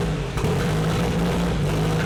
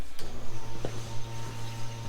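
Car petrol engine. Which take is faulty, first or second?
first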